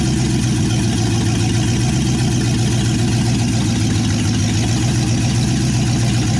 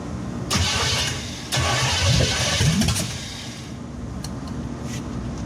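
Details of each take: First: 1963 Chevy C10 355ci V8 (350 bored .030 over), Turbo 350, second-ever firing after years of sitting; temp gauge dead though water circulates: loud, even idle with a steady deep burble from the open manifolds. Normal idle. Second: 1963 Chevy C10 355ci V8 (350 .030 over), unrun for years, new battery, timing unknown: starter cranks in surges, engine catches briefly then dies. No-start from no fuel, traced to the failed mechanical fuel pump, later replaced.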